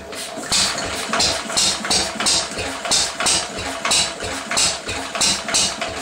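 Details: 1937 Lister D rated 2 hp, first run after many years unstarted, chuffs slowly and unevenly at about ninety beats a minute with hissy bursts. It is misfiring and backfiring; the owner wonders about timing, cause undetermined.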